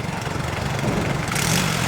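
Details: Yamaha Mio i scooter revived after being submerged in a river and not running for three years with rust, now idling with a steady, even low putter and no knocks or rattles after repair.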